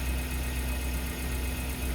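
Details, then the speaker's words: 2018 Suzuki Carry Futura, cold (not warmed since the previous afternoon), after replacing the fuel pump that caused limping, misfire-like stumbling and poor idle: steady, even low idle with no stumbles; engine now runs smoothly. "oke setelah kita ganti pulpam I am mesin lancar ya"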